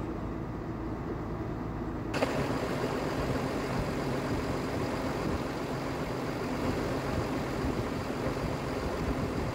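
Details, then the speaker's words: Rebuilt 6.7 Cummins diesel tow truck, ice cold after a valve adjustment and valve cover gasket job: steady, even running at a raised warm-up idle with no knocks or misses; a normal cold fast idle. "she's ice cold has no air little fast idle action she's warming up that gas hand works when it wants to nothing to be alarmed"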